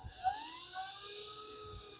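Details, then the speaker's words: 3D-printed axial flux brushless motor with 12 tiny magnets on its first run, driven by an ESC: clean high whine with gently shifting tones as speed changes and no rattle or scraping; it runs healthy. "Okay, I don't think this is going to explode. It sounds so nice."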